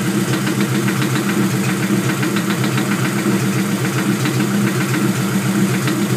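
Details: Honda LS VTEC engine; sharp, fairly regular knock about two per second over steady idle, owner suspects rod knock but unconfirmed.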